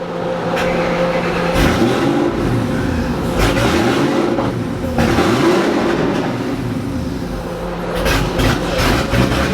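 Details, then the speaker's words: 2007 Ford GT500 with VMP Gen3R supercharger on a stock engine, after a dyno pull where power fell off and smoke came from the breather: revs blip up and down with an uneven, lumpy note as they fall; sounds rough, cause unclear. "I could start it up again it sounded a little rough when it came down I couldn't tell"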